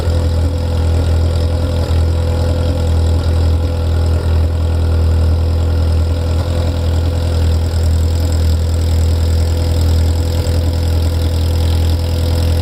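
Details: Ferrari F355 engine after the front-of-engine noise heard from tens of seconds after start has stopped: steady, even low idle with no knocks or tapping; idle smooth and stable.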